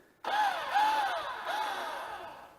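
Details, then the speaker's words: RV trailer electric hitch jack motor taking weight off the hitch after Lippert JT's Strong Arm stabilizers tightened; brief whine wavering under load then easing off, working normally. "and you can hear that in the motor where it's releasing pressure and now everything should be stable in the trailer"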